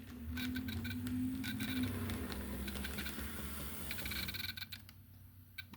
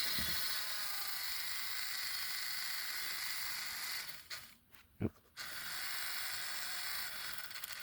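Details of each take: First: Pennsylvania Railroad Doodlebug model locomotive on test track after DCC install and pin plug fix: smooth low motor hum, light even track-joint clicking, earlier thumping gone; motor runs normally. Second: Pennsylvania Railroad doodlebug model (Spectrum) before its DCC install, wheels being cleaned with a Bright Boy while moving. A fast, thin machine-gun rattle over a high whir suggests gear chatter in the drive. The owner fears the gear could slip.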